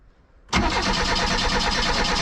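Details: Reliant Rialto not getting fuel to the carb, with cracked old fuel lines and a suspect pump, at full throttle with choke out: cranks, then fires raggedly and unevenly, possibly on leftover brake cleaner, worsening; fuel starvation.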